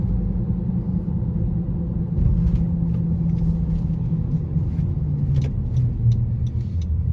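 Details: 2018 Honda CR-V at cruising speed: a steady low hum under road noise, loudest between 25 and 50 mph, present since new; the cause is unclear, and the owner suspects the hub assembly or tires, with no noise when the front wheels were run lifted.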